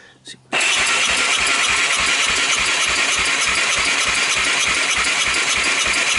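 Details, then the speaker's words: 1998 Honda TRX300EX, abandoned outdoors about a year, dry compression test while cranking: fast even cranking around 200 beats a minute, no firing, reading only 65, lower than hoped. "hmm 65 I would have liked to see a little more than that"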